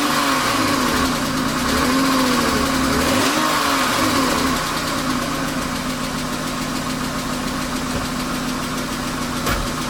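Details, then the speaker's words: BMW 328i E36 inline-six, 154,000 miles, suspected blown head gasket, first start: light fast ticking about three and a half per second over steady idle, no smoke; owner suspects needs an oil change, otherwise sounds pretty good. "oh so sounds pretty good other than that little ticking town we're not gonna run it too long"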